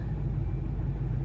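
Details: LML Duramax diesel truck idling after an easy start; low steady rumble without dips or stumbles. The 20-second stalling problem only appears when super cold, despite new batteries.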